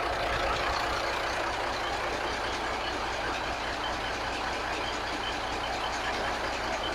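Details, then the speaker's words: Cat diesel in a 1983 Kenworth cabover, idling steadily with even clatter and no misses or knocks after the timing and overhead were set; still running on an electric fuel pump because the mechanical pump isn't working; normal idle. "But man, listen to it purr like a kitten."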